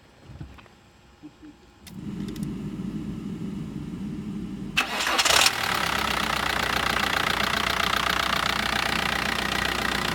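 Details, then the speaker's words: Newly bought daily-driver diesel car after an engine wash: it stays quiet at first, then catches on the first try and settles into a smooth, even idle with its usual clatter; normal diesel idle. "Fire right on up. Sound almost like mine. A little softer."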